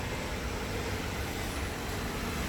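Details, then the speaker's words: 2013 Ford Explorer after replacing the bank 2 catalytic converter: low, smooth, even idle with no exhaust leaks or ticking, sounding quiet and healthy. "now we're ready to fire it up make sure there's no exhaust leaks and here we go sounds nice and quiet sounds healthy"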